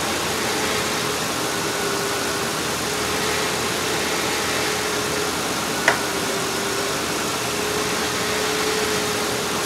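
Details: Ford Explorer idling after a water pump replacement, with the coolant bled and topped off. A steady, even idle hum over constant air hiss with no knock, squeal or bearing whine; it runs smoother than before and sounds stock: normal idle.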